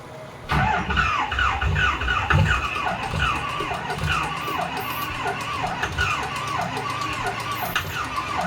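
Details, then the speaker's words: Engine bought as "good running", cranked with ether spray; turbo looks badly damaged: starter spins in repeated falling whirs about once a second but never catches; crank no-start, owner suspects seller misled them, cause unconfirmed. "I think I think Matt burned us on this one. He told me it was good running."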